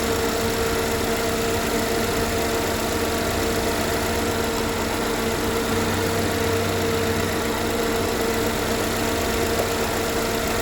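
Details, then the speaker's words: 2013 GMC Terrain after engine rebuild, first start-up following a backfire; smooth even idle, no knocking, no check engine light, timing appears correct and oil moving; normal. "the first start up it sounds fine no knocking timing no check engine light so the timing seem to be on oil's moving"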